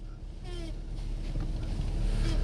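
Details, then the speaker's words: 2005 Dodge Grand Caravan right after a brake job: short, high squeaky groans when turning slowly on a test drive. This is steering noise that drivers easily mistake for brake noise. "hear that that's steering noise when turning right there you'll catch it sometime and this will bring this customer right back"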